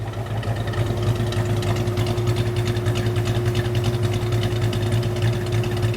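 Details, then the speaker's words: Plymouth Duster race car with new big-block V8, warm at about 205°F with 20 psi oil pressure: deep, even, lumpy idle with no knocks or ticks. Running slightly rich, no exhaust smoke; healthy engine. "Dude, this thing sounds awesome."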